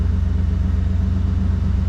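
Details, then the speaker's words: 1992 Chevy C1500 V8 after distributor timing was corrected so number one lined up: deep, even rumble with a smooth regular pulse, now firing on all eight, idling down to about 700 rpm; normal idle. "listen to that she's just purring I could put a glass of water on this Dash right now in a bit barely be moving I'm gonna let it idle down here see where it ends up at right around 700. oh that's perfect absolutely perfect sounds so much better when it's firing on all eight imagine that"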